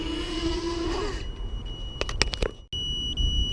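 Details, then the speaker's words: Walkera Rodeo 150 micro FPV racing quadcopter on a two-cell battery after about five minutes of flight: faint, thin high-pitched low-battery warning tone over the motor hum, surprisingly quiet and easy to miss. "the other thing I note that the battery warning on this is very quiet the F21 was really piercingly loud this thing is actually surprisingly quiet actually"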